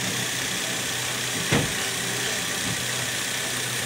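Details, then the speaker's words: Toyota Vios Gen 2 petrol engine idling smoothly and quietly with no rattle or knock after cleaning a sludge-clogged oil pump strainer that had caused loud engine noise and oil pressure warning. "oh. A normal o yun ang normal tahimik walang kalansing yan"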